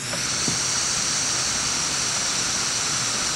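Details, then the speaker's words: Retro portable cassette player with a broken rubber drive belt: loud steady tape hiss over faint, wavering playback with unsteady tape speed; wow and flutter from the broken drive belt. "it's a rubber band broken holy crap I miss cassettes I miss all this hiss I miss the Wow and flutter listen to this"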